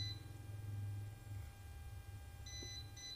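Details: Non-running water pump's cable checked with a cable-break detector pen: quiet room, then short high-pitched beeps as the tester is held to the pump cable, showing current still present up to this point; break deliberately made for testing, pump not sounding.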